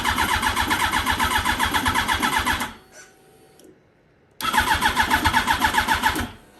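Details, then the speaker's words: Wrecked 2006 Yamaha R1, rolled over in a crash and not run in a while, on a 2005 R1 battery and tank: steady starter cranking with only the odd weak fire on a couple of cylinders and no catch; it keeps draining the battery. "So it doesn't want to start, but it keeps firing a couple cylinders, so I think it wants to start."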